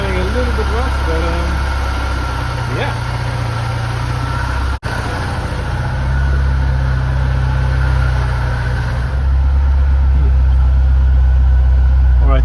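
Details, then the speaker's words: Flood-damaged Porsche 968 cabriolet, first start, on a weak battery with a jumper pack: steady, even low idle with no knocks, misses or hunting. It runs and sounds good, but the alternator doesn't appear to be charging. "she runs phenomenal and she sounds good"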